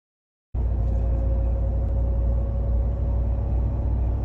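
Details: 2021 Ram 1500 TRX crew cab cruising on the road: a faint steady whistle over low road rumble as wind leaks into the cab; exact seal unknown, and the owner had tried painter's tape and is returning it to the dealer.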